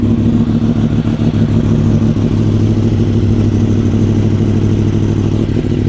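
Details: 2015 Yamaha R1M with ECU flash, 9,210 miles, largely unridden since 2019, first start after about five years of storage before restoration: loud, steady, even engine note, no knocks or rattles, described as pretty quiet; normal idle.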